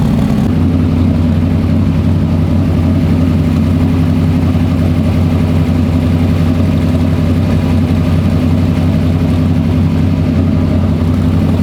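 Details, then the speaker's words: Freshly built carbureted 421 small-block Chevy V8 for an S-10, cold and warming up after first start: deep, loping idle with a steady low burble, no knocks or ticks; crisper than the previous motor, no leaks, timing right on the pointer. "Yeah. It's way more crisp than the other motor was. I never liked the sound of the other one."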